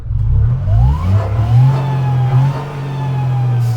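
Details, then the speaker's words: Supercharged Nissan Micra K13 off-road build after new auxiliary belt and service, on ramps: engine revs and settles with a faint whine rising and falling with revs, no belt squeal or knock; normal supercharger noise. "supercharger noise, but yeah, that's all good."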